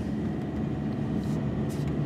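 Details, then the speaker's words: 2014 Subaru Forester on the highway after replacing the back right wheel bearing: steady low road rumble with no droning, which had come on from about 40 to 65 mph; fixed. "but the noise is gone from the back right. It was this like real slight droning noise"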